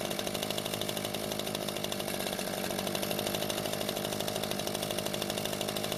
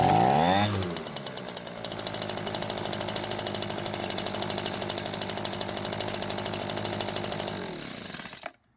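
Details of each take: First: Echo two-stroke leaf blower that would not start after storage, after repair of its fuel-leaking carburetor: steady, even, fast buzz with no surging or stumbling. It runs fine, with no leak afterwards. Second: Echo leaf blower that won't start after storage, broken filter base leaving choke flap stuck; fuel poured in carb throat: small two-stroke catches and buzzes evenly about seven seconds then dies; carb may still need attention.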